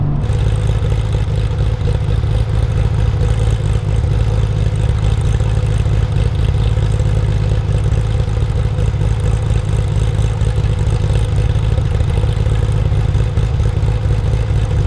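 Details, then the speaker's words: Porsche 993 Carrera 4S flat-six fitted with sports camshafts, giving a deep, loping, offbeat idle with no knocks or rattles. This is normal for the cams. "It's also got sports camshafts, which gives it that beautiful sound when ticking over. It gives it that offbeat sound, something that I personally could listen to all day long."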